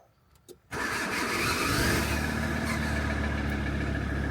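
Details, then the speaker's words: VW T4 starter heard with door open while starting: high whirr bursting in, spinning freely instead of turning the engine, sometimes grabbing and sometimes not; starter failing to engage, suspected busted and replaced. "But I'm guessing you could hear the starter sometimes grabs and sometimes it doesn't, and what we think the issue is, I will show you."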